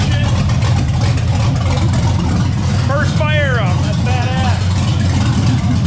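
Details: LS-swapped Ford LTD, brand new motor on first start, cooling filled, idle set around 40 without O2 sensors: deep, steady V8 idle with rhythmic choppy big-cam lope, even with no knocks, shouting over it.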